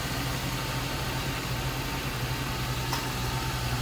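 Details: 2002 Ford Thunderbird convertible, one owner, stored indoors and summer driven only; steady, even low rumble with a smooth pulse, no knocks, ticks or whine, clean normal idle.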